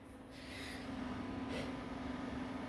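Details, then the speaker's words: Old Acer Aspire desktop (about 2012) powers on with the original RAM stick reinstalled to cure constant beeping. Only a steady low fan hum is heard, no beeps, and it stays on (fan loose, later overheated); normal power-on. "no more beeping staying on good"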